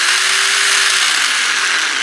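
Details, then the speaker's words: DeWalt D25003K rotary hammer with a chisel fitted: it won't stay in hammer mode. A high, rapid, continuous ratcheting chatter over the motor with no heavy blows means the mechanism is trying but never hammers. "When I get over to hammer, it doesn't want to stay in hammer mode one. Yeah. And it won't stay. And when I get it to stay, it doesn't it doesn't hammer."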